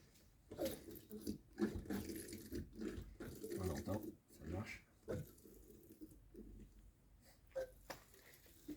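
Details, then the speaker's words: Motorcycle conventional fork being reassembled after fork seal replacement, oil just added and fork pumped by hand to prime it. Uneven bursts of wet squelching and gurgling; damper priming with oil and working normally. "Tac, voilà. Je pompe un petit peu pour l'amorcer."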